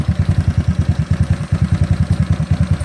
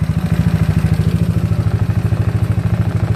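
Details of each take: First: GY6 scooter, battery reading about 13.2 V, RPM reading not working: slow, heavy chuffing at about eight beats a second that stumbles briefly. Rough idle that sounds ready to stall; owner suspects a wiring fault. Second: GY6 scooter idle being set around 1450–1500 rpm: even, steady idle with a quick regular pulse and no hunting; settled.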